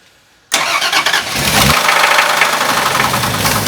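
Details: Deep rod knock repeating about three times a second after firing, running at low RPM just after timing was set, with vacuum lines still loose; connecting-rod bearing knocking on the same reused crank even after the UTG donated parts.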